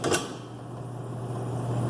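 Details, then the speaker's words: HVAC blower motor restarted by hand-spinning the fan then reassembling; knock then steady low hum with smooth fan whoosh; blower motor running normally. "And already, y'all, I can tell you that the motor is working now."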